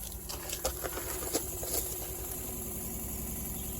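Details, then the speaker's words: Diesel heater upgraded to a Bluetooth Maxspeedingrods model, at first start: a light, fast rubbing patter and scrapes over the fan hum. The fan is catching its molding because the case was not sitting square, and reseating the case improved it. "it's a bit noisy actually what's going on [Music] I mean the case has gone together the best yeah that's not what appearance between the uh fan and the molding here should be making that sound"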